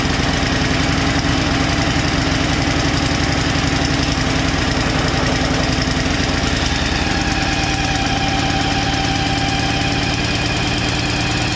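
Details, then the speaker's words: Two-stage snowblower engine, unstarted for two years with old fuel in it, chugs lumpily on choke after starting, clears up, then stalls; topping up with fresh gas makes it fire right up. "Okay, it moved a little bit, and then it cleared up, and then it stalled. So I just put some gas in there, fired right up."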